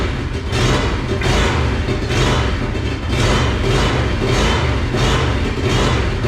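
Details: Monster golf cart build, first run after new fuel pump fitted: loud lumpy running with uneven thumps and sputters, sounding like one cylinder; rough running misfire.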